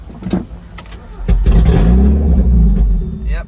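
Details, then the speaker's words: 1994 Mazda Miata, 86K miles, parked 11 years, started on starting fluid: the engine catches briefly with a loud, raw, open exhaust roar for about two seconds before running out of fuel. The catalytic converter is missing. "out of fuel and sounds like there's no converter on it yay loss of money and there's no converter on it"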